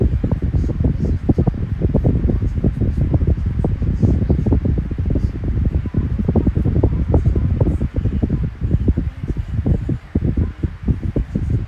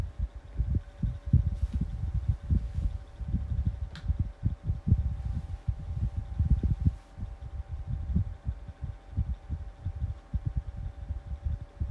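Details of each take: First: 12-inch Kool-Flo SFC2-300B high velocity 3-blade fan, newly running with bearing oil still breaking in: steady airy rush with light fluttering gusts, no rattle or grind; powerful yet quiet, normal operation. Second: New 12-inch Kool-Flo high velocity fan on low speed: steady motor hum with an irregular low thumping and throbbing underneath; owner suspects a bearing issue, maybe oil not yet reaching the bearings.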